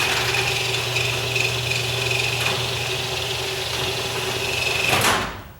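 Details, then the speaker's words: Garage door driven by an opener: a steady high squeal over the motor hum, mainly while closing, stopping when the door seats. The wheels, track, joints and spring had already been sprayed with lubricant; the squeak source is suspected, not confirmed. "The last time I was out here, I could hear it, and it was real screechy. I'm going to turn it down. Maybe it was just when it was going down."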